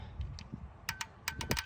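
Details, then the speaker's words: 1989 GMC Suburban V1500 4x4 left sitting since about 2006, key cycled with engine off after throttle-body injectors swapped in (old O-rings and gasket reused): a few crisp light ticks; injectors clicking normally. "I have finished replacing the injectors so now we'll see if they click you hear"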